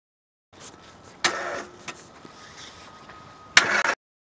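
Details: 2010 Daewoo Matiz 0.8 manual: ran 5–10 seconds and stalled, then relay clicks and short labored cranking like a flat battery despite charged battery and clean terminals; seized AC compressor prevents starter cranking.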